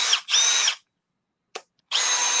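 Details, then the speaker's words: New Milwaukee M12 FUEL gen 3 1/2-inch drill driver under load: short bursts of harsh, rough high-pitched whine as it caught between gears; gear grinding noise. "oh my god dude that sounds terrible hang on oh my God oh we fixed it caught between gears I have no idea but uh it was super angry for a second"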